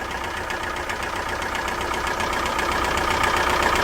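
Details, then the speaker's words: PT Cruiser engine run with no oil after another shop replaced the oil sending unit: steady rapid knocking, about four a second, through the idle, with heavy blowby and oil leaking; the engine is destroyed. "Oh, y'all hear that noise? >> Oh, no. Oh, so it's knocking."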